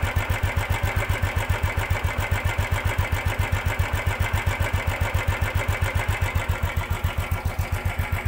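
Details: Ticking noise at idle on a 2015 Royal Enfield Classic 350 (Bullet): very even, sharp ticking at about 220 per minute over a steady thumping idle, attributed to timing chain mismatch, with lack of pick-up.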